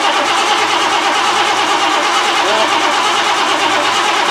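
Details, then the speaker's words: 1988 Lincoln Town Car, first start after fuel tank work: a steady, unbroken whirring grind with no rise in speed and no catch; starter stays engaged, owner suspects a hung solenoid or ignition switch. "mostly there the solenoid hung or the ignition switch to self on which could explain why that cover was off the bottom"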